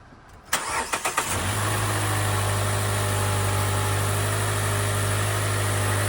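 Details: Car that had a cylinder 4 misfire, after the ignition coil was replaced: a few quick cranks, then it fires and settles into a steady, even idle with no stumble or misfire. Normal start and idle.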